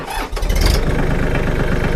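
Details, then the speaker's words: Mahindra Max 26 XLT HST diesel sub-compact tractor, 48 hours, just after its 50-hour oil and filter change, glow plugs warmed: short crank, catches at once into an even low chugging idle; low oil light went out, normal. "Sounds good as new, but she still is. 48 hours on there. All right. So that's purring like a kitten."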